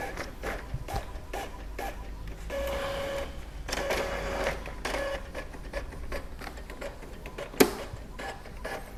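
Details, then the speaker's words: Epson L3110 printer, after paper and ink lights blinking together and half-pulled paper, printing three sheets: even rhythmic carriage shuttling with steady feed tones, pages pulled cleanly; printing normally. "sudah berhasil ya pintter sudah berhasil normal"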